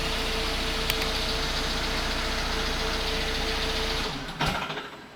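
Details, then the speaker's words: Mercedes C200 Kompressor (2005–2008 supercharged 4-cylinder petrol), engine light on, hunting: steady idle hum about four seconds then sags and dies with shudder and clunk; stalling caused by faulty engine ECU, fixed with cloned second-hand ECU. "there are many reasons why a car engine might stall sometimes it could be a blocked fuel filter sometimes it could be a bad fuel pump and it could be even something electrically related"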